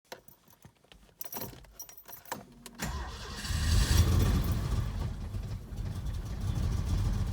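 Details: SM EFI engine misfiring: after cranking and catching, runs with uneven stumbling low beat and cannot rev above about 300 rpm.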